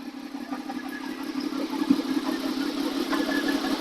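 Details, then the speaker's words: Honda VFR 800 V4 first start after used replacement engine fitted with new oil, filter and coolant, warming up: steady, even idle with smooth mid-pitched exhaust beat, revs fine, no knocks; normal idle. "Here's uh letting you uh hear the the exhaust sound. Sounds great. She's revving fine."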